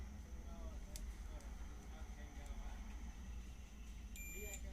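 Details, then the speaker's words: Double-channel 3055-transistor amplifier with no sound after driving a 12-inch 150 W speaker: a steady low hum, then a short high continuity beep as the meter probes the driver transistor, which is shorted. "देख सकते हैं इसका driver transistor जो है shot हो चुका है"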